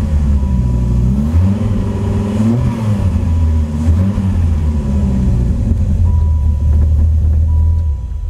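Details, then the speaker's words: V10 Dodge Viper after cylinder head work and roller rocker upgrade: deep lumpy idle through throttle blips, steady and even, running well; spark plug wires with pinholes can cause a slight misfire. "it sounds very good sounds just like a viper v10s have their own weird sound it doesn't sound like a 12 or an 8 it's kind of a strange sound but it sounds really good"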